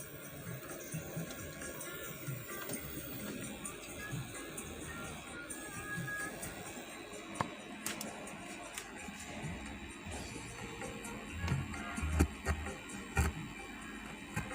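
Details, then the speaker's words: Amplifier after replacing final output transistors with Toshiba parts, volume at half, equalizer pins fitted: music faint and thin with constant hiss beneath it; output weak and noisy on one channel, balance pot also suspected. "Tapi suaranya pelan, masih banyak desisnya."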